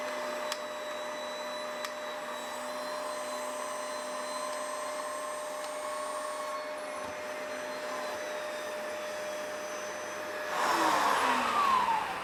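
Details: Dyson DC05 turbo/turbine floor head, just reassembled after teardown and clean with its little metal bearing refitted: smooth constant motor hum, steady tone growing louder under load, no rattle or grinding; turbine head runs healthy.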